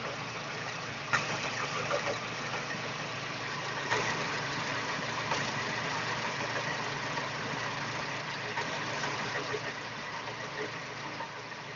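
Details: Daewoo Espero 2.0L engine: quiet idle with faint, uneven tapping about three times a second over a steady hum; foreign knock in the engine at idle, source unclear.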